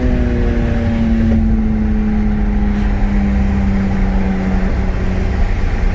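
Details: BMW E46 M3 S54 at 139k miles after water pump and cooling system overhaul, no overheating so far: clean, even engine note holding steady pitch, easing slightly, with no knocks, squeals or ticks.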